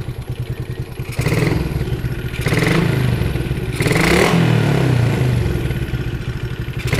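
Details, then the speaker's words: Yamaha Jupiter MX after jumpering the stator coil (spul), which was suspected shorted and old; revs up and down with an even beat and no whine, whistle or hum; normal running, no stator whine. "ya bisa didengarkan ya bunyinya hilang hilang enggak ada bunyi sama sekali"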